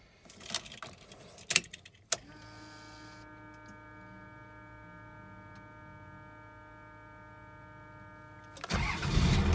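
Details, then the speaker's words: 1996 Dodge Ram 3500 12-valve Cummins diesel, after hard-starting fix, restarted shortly after running: short crank catches almost at once and settles into a steady, even idle; best start since the engine was reassembled. "okay that's the best start i have had since i got this truck back together"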